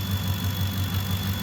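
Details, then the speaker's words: Ford F-150 warmed up about 5 minutes, idling with high beams, heater, heated seats and blower on; voltage steady; thin constant high whistle under heavy electrical load: alternator whistle suspected, belt and pulleys appear fine. "I can hear the alternator starting to whistle a little bit I put it under more load high beams"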